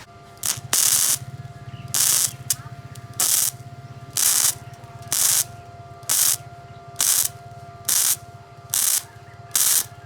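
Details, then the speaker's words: Powerhouse gasless flux-cored MIG welder full-welding steel window frames: repeated one-second bursts of steady, crisp frying crackle with no popping or sputter, the sound of correctly set amperage. "So, dun sa mga hindi marunong magtimpla ng amperahe, bumase na lang kayo sa tunog. Malalaman nyo lang na maganda yung timpla ng amperahe nyo kapag ganito yung tunog."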